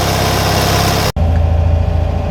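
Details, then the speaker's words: Classic Fiat 500 twin, warmed a little and pulled off choke, though possibly not fully off because the choke cable seems slightly sticky: low, even putter at a relaxed idle with steady beats, no misses or hunting; normal idle. "and there we go. Now seems to be running okay."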